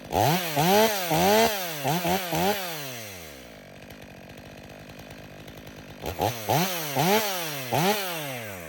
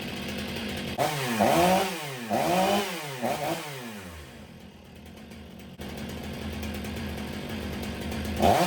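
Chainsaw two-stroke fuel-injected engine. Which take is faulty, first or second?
second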